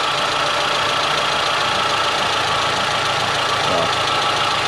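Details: Dacia Sandero 1.4 MPI on LPG, after misfires in damp weather traced to a faulty ignition coil. The engine idles evenly on all cylinders under a steady hiss of water spray, with no misfire stumble.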